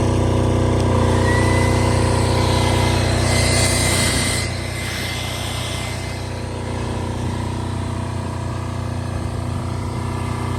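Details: Multi-power diesel generator (generator only, not a welder, about 5,500 watts), started about 5 or 6 times: steady, even diesel chug at constant speed with no knocks or misses; normal running, seems to run really nice.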